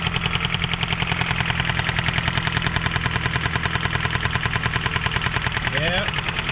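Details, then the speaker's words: 2007 Jeep Compass (possibly 2008), about 156,000 miles, jump-started for its first crank: loud, steady deep knocking about three times a second at idle over the engine note. Owner suspects rod knock, possibly a spun bearing. "definitely sounds like she has a road knock guys so i'm gonna guess this engine is pretty much garbage"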